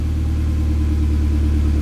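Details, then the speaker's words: Mitsubishi Evo X, neglected engine after new timing chain and tensioner guide install, first start and warmed up: deep, even idle with steady low rumble, no rattle or tapping from the front; timing chain sounds quiet and healthy. "all right so I let the engine warm up for a little bit everything sounds really good freaking I'm super happy about it"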